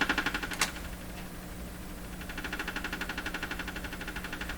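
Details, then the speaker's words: Canadian Westinghouse Model 684 tube radio under repair, not working: faint steady ticking about four per second over background hiss from the set, which is household interference from an unidentified source. "So this ticking sound you're hearing coming out of here, that's interference in my house from a source I cannot identify, which drives me nuts regularly."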